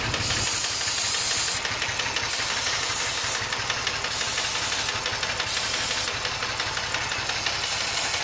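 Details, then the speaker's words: 2005 Ford Taurus 3.0 being diagnosed for stalling: intake, PCV and vacuum lines sprayed during idle under a constant hiss of spray; idle stays steady and never rises, so no vacuum leak found; normal idle. "I don't hear no advance in the idol let's check our PCB nun vacuum lines nothing we'll check the intake nothing"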